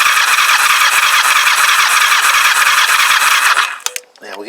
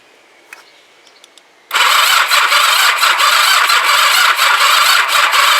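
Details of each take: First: Kawasaki GPZ500S rebuilt engine, compression test on cylinder one with the throttle wide open: even, steady cranking beat with a whirring starter, no skips or hiss; healthy compression of about 145. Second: Kawasaki GPZ500S rebuilt engine in frame, start button dead and no neutral light, cranked with choke and throttle: the starter whirs with a slow uneven churn, about three compression pulses a second, and never catches; slow cranking from a flat battery, later replaced.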